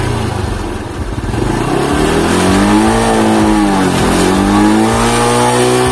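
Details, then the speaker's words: Motorcycle after carburetor cleaning and reassembly (pilot jet and main jet serviced) for hesitation on initial throttle and at high rpm: pitch climbs and drops cleanly as throttle is blipped, even firing at low rpm; normal throttle response. "Nah kita coba diperhatikannya kita di RPM bawah ini udah normal ini udah langsung udah normal ya"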